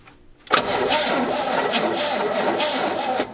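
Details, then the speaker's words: Restored GMC 3500 long bed pickup, sat since 1995: engine catches and idles with a wavering whistling hiss; vacuum leak suspected, throttle shaft seen leaking, dust blown from exhaust. "oh my gosh do sound like a vacuum leak don't it yeah shot a b cloud of dust at the exhaust for real"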